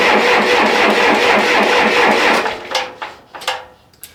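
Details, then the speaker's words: Diesel engine after injection pump timing adjustment, accidentally run out of fuel, then refilled and hand-primed: even starter chugging about two beats a second for two and a half seconds with no firing; air in the fuel system, injectors may need bleeding. "I might need to crack the injectors and uh bleed it out again"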